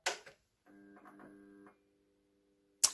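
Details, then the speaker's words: 20W blacklight fluorescent fixture, testing a salvaged starter: sharp click, short flickering buzz, then steady even hum as the tube strikes and stays lit; starter works normally, though the ballast is slightly noisy. "bah c'est nickel, en plus il fonctionne aussi."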